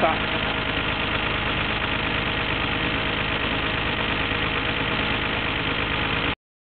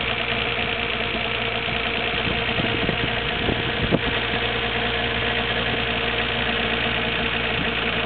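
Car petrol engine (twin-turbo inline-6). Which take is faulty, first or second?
second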